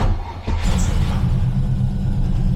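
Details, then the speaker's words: TVR Griffith 500 V8 after fixing a bad coil wire connection, fresh fuel, before warm-up: catches instantly and settles into a deep, steady burble with no misfire or stumble. Normal start and idle, running on all cylinders. "that was really instantaneous ous and it really does feel like we have all cylinders now building oil pressure we have fuel so let's go out listen to it and then we're going to let warm up for a bit yeah that's a V8"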